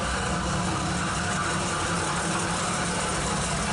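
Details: Jeep with old Carter carb, first run in three years, no alternator fitted, idling in the shop at night: smooth, even low rumble with no ticks, knocks or stumbles; idling cleanly.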